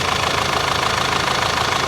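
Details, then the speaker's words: Turbocharged Audi A5 six-speed manual, bought broken from auction: even steady idle with smooth regular pulse, no knocks, misses or rattles; runs cleanly, though catalytic converter and turbocharger area found glowing. "Now, I know cosmetically she's not, you know, in perfect condition, but listen to her purr, man. Runs like a top."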